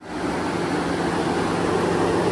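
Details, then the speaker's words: 2014 GMC Sierra with the engine off and the radiator fans still running, a steady even whooshing roar. Stated cause is a faulty coolant temperature sensor and a bad thermostat, both replaced as the fix: radiator fans running with engine off. "this is a 2014 GMC Sierra the engine is off but the radiator fans are still running so apparently this is a pretty common issue with these trucks"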